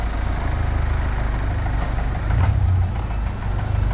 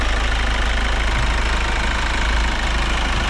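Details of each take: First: Kia Sportage engine awaiting repair: low heavy idle with a dull repeating knock under the rumble, steady at constant revs; mechanician says it is not fuel knocking, origin not stated. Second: Kia Sorento diesel rechecked for noise after new adjusters, EGR and turbo cleaning: steady even idle with low rumble, no sharp ticking; settled and healthy.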